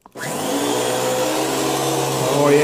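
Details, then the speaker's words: Beam central vacuum power head after brush roll belt replacement: steady, even motor whir with the brush roll spinning smoothly, no slapping or squeal; now picking everything up properly. "yeah, you can tell already that's a whole lot better. And that's picking everything up."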